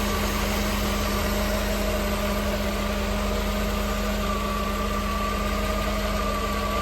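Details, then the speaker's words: 1988 Mercedes-Benz 560 SL V8, 51,705 miles, shortly after cold start on warm evening in the 80s, heard outside near rear with fuel pump audible; smooth even idle, steady low hum, no knocks or ticks, clean exhaust: normal warm idle. "Hear that fuel pump running from back here. Clean, clear exhaust, as you can imagine with this kind of miles."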